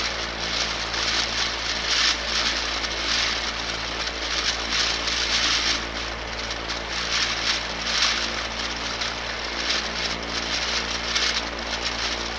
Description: My Durafan 18" barn fan, which is 14 months old and has been used for not quite two summers, sounds like the bearings are failing.